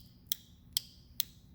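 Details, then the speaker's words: Automatic transmission shift solenoid removed from 2012 Toyota Corolla, bench-tested with 12V by touching ground: four crisp clicks about half a second apart, solenoid actuating normally. "I can hear it clicking, so it is working."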